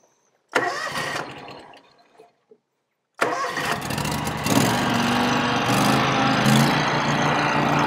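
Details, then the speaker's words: Older Scag Turf Tiger mower just fitted with an Ogura soft-start clutch module, first start after install: engine fires and settles, then the deck engages with a gentle step up in sound and no harsh bang; way smoother than before. "i meant right off the bat that's like way smoother than what it was"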